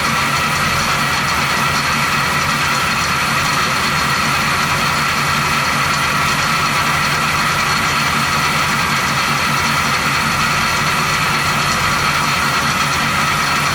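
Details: 1970 Chevy C10, 350 small-block with recently replaced water pump, at idle: constant bright metallic rubbing whir, no clear beat; rotary noise suspected at water pump, source undetermined.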